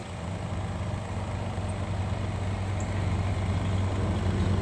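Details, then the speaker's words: 2011-2020 Dodge Durango 3.6L Pentastar V6 just cranked, throttle held down, at idle during a back pressure test on the second exhaust side; a steady, even low rumble with no misses, knocks or puffing; reading about the same as the first side, exhaust free-flowing. "all right finally got it cranked up there had to hold the Throttle Down Smart's looking about the same as the other side see if it's going to level out here"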